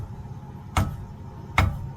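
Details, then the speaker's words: Trailer spring brake chamber tapped with hammer during DOT inspection: two dull, short thuds with no ring, so the internal spring is intact; a broken, rusted spring would clink. "okay that one's good if the spring is broken in there you'll actually hear a clink you'll hear a different tone"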